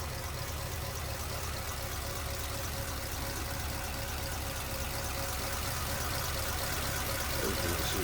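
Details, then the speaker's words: 1946 Ford Super Deluxe Woody Wagon flathead V8, 6-volt system, oil bath air cleaner, 5.9 AV heads: steady, even low idle with a soft regular pulse and no knocks or ticks; running smooth and healthy. "There it is. That's how smooth that one's running."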